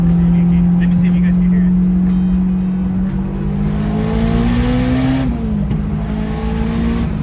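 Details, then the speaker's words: Turbocharged Honda S2000 driven without front bumper after a flooded engine and suspected leaking injectors: strong even engine note climbing cleanly with revs and boost, no stumble or misfire; only idle issue remains; normal running under acceleration. "car doesn't seem to be breaking up so it sounds good I don't know how well the camera picked it up but it seems like it's running fine"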